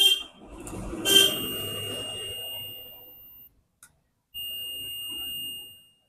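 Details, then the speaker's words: 3055 transistor amplifier under repair, still humming after disconnection: two sustained high continuity-tester beeps across the legs of the newly fitted transistor, which has shorted again; a BC548 on the driver board and a burnt resistor also being replaced. "Friends मैंने जो अभी इसमें transistor लगाया व ट्रस्टर फिर से shirt हो गया है तो अभी मैं इसको फिर से निकाल लेता हूं"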